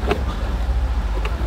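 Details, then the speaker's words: Tesla glove box, about 2 years old, after lining the rubbing braces and sharp corner with foam strips: low cabin rumble and two soft clicks from normal spring and friction, no plastic rubbing noise left. "看到没有？啊，摩擦的地方全部都是海绵条，这样的话就没有异响了。除了正常的摩擦的声音和这个弹簧的声音之外，已经不会有这个塑料板之间摩擦的异响了。"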